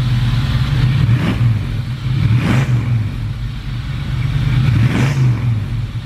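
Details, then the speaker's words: V8, microphone at the exhaust: deep loping idle, steady low rumble with a few gentle revs, no knocking or ticking; normal idle. "it is it sounds pretty good"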